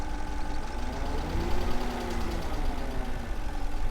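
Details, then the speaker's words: Porsche Cayenne 4.5 L twin-turbo V8 at idle, apparently no turbo boost (possible disconnected hose): dull, fast, even low-down tick under rough idle, louder lower down; owner suspects bore scoring, unconfirmed, plans borescope through spark plug holes. "It doesn't sound healthy. It doesn't sound healthy. And it's a low down tick."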